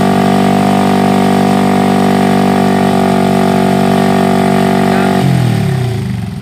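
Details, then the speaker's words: Honda Revo Absolute after a new original Aspira cylinder block, at long steady throttle to check for smoke: a steady, even buzz with a clean firing note, no misses before the throttle drops; apparently no smoke, healthy. "Biasanya kalau sudah kita gas datar ya, gas datar lama, gas datar biasanya kalau di seal itu bermasalah, dia akan berasap, dan bila di blok juga seperti itu ya teman-teman."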